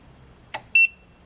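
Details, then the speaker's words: EcoFlow Delta Pro trying to start a 1 hp irrigation pump: single short high beep between faint clicks as the inverter trips with error code and shuts off; inverter overload alarm, it cannot start the pump. "turn the irrigation pump on no didn't do it I get the error code so the inverter is off"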